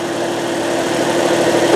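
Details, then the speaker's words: 2003 Saturn Ion 1 four-cylinder, warm, AC running: smooth, steady idle hum with no ticking or knocking; seller reports no valve train noise or knocks even at the rev limiter. Normal healthy idle. "So as you can see, as I'm hitting the rev limiter, this baby really sounds good. It's got no knocks, it's got no valve train noise, no high rev knocks. Just a super nice car."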